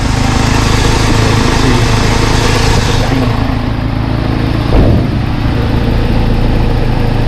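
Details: 1989 Toyota 4Runner, first start after fixing a broken motor mount and changing the oil: a steady, even low idle rumble with no knocks or shudder, just one soft bump midway. The engine idles smoothly.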